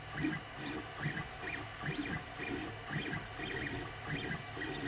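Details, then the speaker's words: Creality Ender 3 3D printer while printing: motors whir steadily with a faint knock every half second or so as the extruder stepper skips steps. "so if there's any skipping whatsoever you will notice like a slight knock every now and then"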